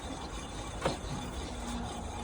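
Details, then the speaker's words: Car with rear wheel raised, after replacing a noisy rear wheel bearing that had lost its grease: free-spinning wheel gives a soft, even whir, a lot quieter than before, no growl or grinding; healthy wheel bearing. "so all in all nice fix um and I'll just show you now give it a spin up as well as you can hear it's a lot quieter than before"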